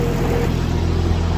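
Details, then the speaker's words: Barra-swapped Toyota JZX100 on standalone Barra harness, first start of the swap, no temperature gauge fitted: started straight up and settles into a smooth, even low six-cylinder idle with no knocks or ticks. Normal idle. "so yeah I actually don't have a temp gaug or anything at the moment but man this thing just started straight up"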